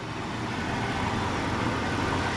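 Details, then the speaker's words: 1998 Jeep Cherokee XJ barn find after repair: dented bell housing baffles and cover, which starter parts were hitting, were straightened. Now a smooth, steady idle with an even low rumble and no rattles or scraping; normal, healthy idle. "well after a bunch of a battle we got the noise gone basically it was just the bell housing baffles and everything they were just dented"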